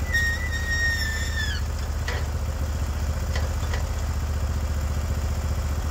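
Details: Norwood HD36v2 bandsaw mill with new roller guides replacing the ceramics, cutting a 24-inch-wide big black oak block into 1.5-inch slabs: deep steady engine drone, no surging or labouring; cut flat and effortless, motor loaded just as it should.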